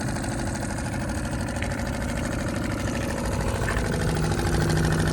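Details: Suzuki 2.5 HP outboard on an Andrews 21, lowered into the water at the dock, idling after start-up: steady, even idle with no knocks or misses; healthy normal idle.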